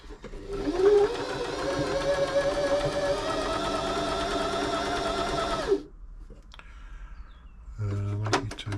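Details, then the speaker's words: Janome 525s sewing machine after a service, with good tension: smooth, even hum with a steady needle beat of about four strokes a second, no knocks or rattles; a quiet, healthy machine. "So lovely. You can hear it. This is just a quiet machine. They're just well made."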